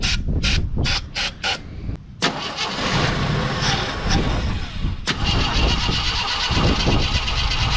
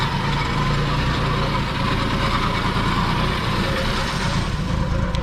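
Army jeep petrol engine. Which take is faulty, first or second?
first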